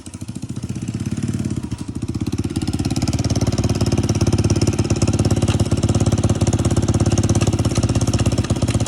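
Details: 150cc single-cylinder bike after bad wheel bearing and rim work, settling into a crisp, even beat a few times a second as revs build slightly; running cleanly.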